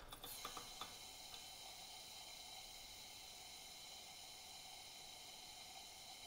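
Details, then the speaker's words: Unimet Camper Model 1 lantern from the 1960s, freshly refurbished and first lighting: valve cracked open, whoosh of air, then quick ticks, pops and a soft steady hiss as fuel droplets sputter from the generator, showing fuel is delivered and it is ready to light. "And then what I'm listening for is a sputter of fuel droplets getting out of the generator, and that's when I know it's ready to light and the fuel is being delivered where it"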